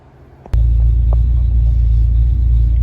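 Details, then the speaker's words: Vehicle just fitted with a new AutoZone Duralast Gold 34-DLG battery after the O'Reilly 34EXT died: engine catches instantly and settles into a steady, even low rumble without stumbling; normal quick start. "All right, folks, as you can hear, she started right up."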